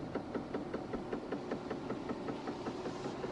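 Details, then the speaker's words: Fiat Panda creeping in first gear: steady knock about 2.5 times a second following wheel rotation at the rear right hub, wheel has play; knock merges into a drone near 90 km/h, cause unknown. "на скорости около 90 этот стук практически исчезает наверное сливается в сплошной монотонный гул но стоит замедлиться как он вылезает во всей своей красе и просто неимоверно бесит"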